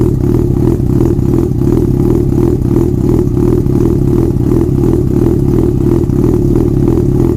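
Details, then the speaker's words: Yamaha FZ6 Fazer with removable straight-through baffles taken out of the exhausts: deep, loud, throbbing exhaust burble with steady low pulse and no odd knocks; healthy engine. "so there you have it doesn't it sound cool it actually excites me the sound of this little review just goes to show that you don't need a thousand cc's to create some excitement inside you"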